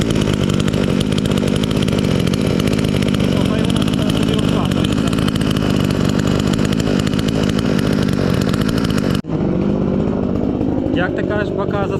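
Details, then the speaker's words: Chinese chainsaw sold as a fake Stihl, freshly assembled and started first time; screams at steady high rev then drops abruptly to a clean, even idle; owner glad it runs fine, normal running. "And you hear how it hums and from the first time it started at all I'm glad with the saw everything is fine"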